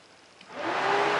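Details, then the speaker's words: Honda Foreman ATV cooling fan with the control module pulled out: flexing the module makes a faint relay click and the fan whooshes on and off; bad internal connection in the potted module. "And if I tweak and torque on this, the fan kicks on and off."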